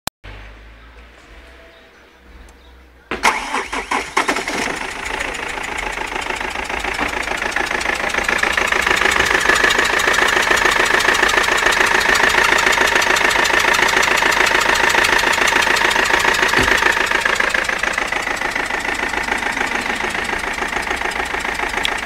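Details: BMW 320td diesel starting after a few quiet seconds, then idling with a steady, sharp ticking clatter; the cause of the strange noise is unidentified.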